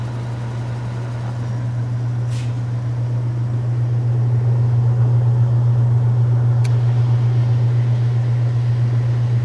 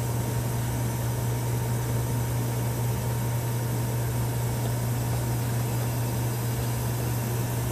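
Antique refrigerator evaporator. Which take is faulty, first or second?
second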